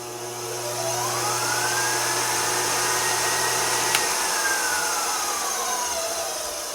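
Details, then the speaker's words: 1x42-inch belt sander bought new 1971, refitted with 1.5 hp DC variable-speed motor: motor whine climbs steadily in pitch as speed rises, then eases down; running smoothly. "Currently I have it set up with a 1.5 horsepower DC motor and a variable speed configuration, so I can start out at a really low speed and I can really crank it up if I want to."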